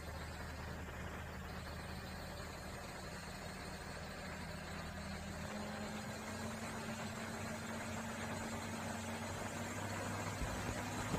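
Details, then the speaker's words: Komatsu PC200-6 excavator diesel after valve adjustment, earlier black smoke and low power: even, steady idle with constant low drone, no misses, knocks or hunting; exhaust now clean, normal idle. "kita tes hidup dulu kelihatan teman-teman ya atasnya sudah bersih sudah enggak kayak tadi lagi dan ini mudah-mudahan performanya bagus teman-temannya"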